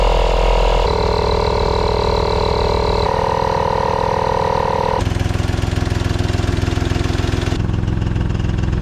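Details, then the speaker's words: Opel/Vauxhall Corsa C budget youth race-car project, stood for many years, first start: steady idle with a rhythmic puffing chuff about three or four a second under the engine note; exhaust is blowing somewhere, location unconfirmed. "it's definitely got a bit of a blow somewhere on the exhaust"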